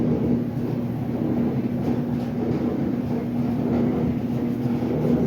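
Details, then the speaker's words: Dryer run in a garage: heavy continuous rumble and grinding over a steady low hum while running, likely why it was discarded. Dryer grinding and rumbling. "so far is that noise does not sound good is your dyver making that noise that grinding noise"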